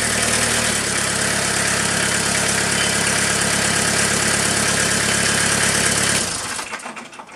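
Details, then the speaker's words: Cold Kubota B3030 diesel tractor at about 48°F, after 30-second preheat and single-point bleed at injector pump housing, started at half throttle or more: fires right up, even steady clatter with no misses or stumbles before shutting off. "I normally don't start a tractor at half throttle or Beyond like this guy here fired right up"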